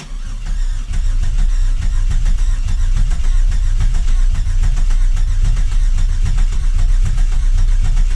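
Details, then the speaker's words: 2000 Camaro 3.8L V6 just reinstalled, first start attempt: quick even starter cranking with no firing since injectors are unplugged, cranking to build oil pressure while watching the gauge; engine spins freely, normal. "so what we're going to do is just crank it and it won't start because I unplugged the injectors but we want to watch the oil pressure gauge right here and make sure it goes up"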